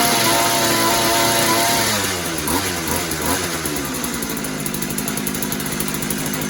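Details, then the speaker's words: Posthole digger two-stroke engine after carburetor install (carb has no adjustments): steady, even buzz settling from a higher rev with no sputter or hunting; runs pretty good, normal running. "Well, seems like it runs pretty good."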